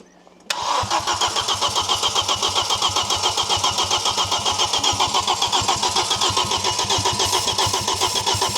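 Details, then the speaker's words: Audi RS2 barn find, 315bhp five-cylinder turbo left in an orchard for years, mice in airbox: fast even cranking with spitting pops, never catches; won't start, spitting back, turbo seizure suspected, unconfirmed. "It was popping back and it's not even doing that now. No."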